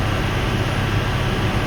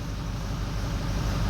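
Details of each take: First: 2004 Ford 6.0L Powerstroke diesel after repair on the odd bank 1 side, running about five more minutes, not yet driven: even, steady low idle with no misses or knocks; odd bank healthy, number 6 still questionable. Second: Ford 6.0L Power Stroke diesel at idle during a power balance test, with a new FICM: number 7 injector dropping out, giving a loping, uneven rumble; the whole odd bank 1 (injectors 1, 3, 5, 7) eventually drops out. Rough idle from injector dropping out.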